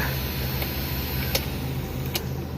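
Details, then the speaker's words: 1995 Daihatsu Zebra Espass 1300cc, after a drive, cabin dashboard fan: steady even low hum with faint airy hiss, no rattles or ticks; normal fan noise. "Nah teman-teman kalau misal Anda mendengar suara bising itu dari sini nih"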